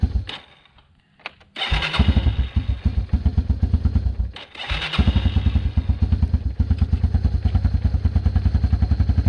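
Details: 1996 Yamaha Timberwolf 250 ATV single-cylinder, after fuel system cleaned and bad gas drained (previously wouldn't stay running): a few cranking turns catch, brief dip, then steady even thumping idle with no misses.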